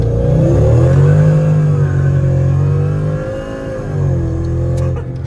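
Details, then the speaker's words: Mercedes E55 AMG supercharged V8 after engine rebuild, supercharger set up conservatively, differential not yet done: deep V8 pulling hard through gears, rising and dropping with shifts, faint blower whine; runs clean and strong. "Yeah. We didn't do the differential yet, but the car goes a little bit better sideways than before."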